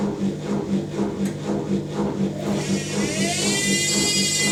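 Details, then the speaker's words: Zanussi Electrolux Aquacycle 1200 ZWF1221W washing machine on a 900 spin with newly fitted motor carbon brushes: spin builds with a high whine climbing in pitch over a steady thrum. Whiny because the new brushes are still bedding in. "very whiny cuz the new brush is the coffee beding in"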